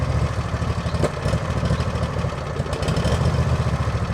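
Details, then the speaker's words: Lawn tractor with an uncleaned carburettor, sweeper collector running: low engine thrum rises and falls unevenly, the surging is back. The owner believes the carb must be cleaned; the cause is suspected, not confirmed. "The Harley Davidson effect is back. So I guess I cannot avoid cleaning the carb anyways, but that's not right now because I need stuff done, and yeah. Ignore the surging of the engine."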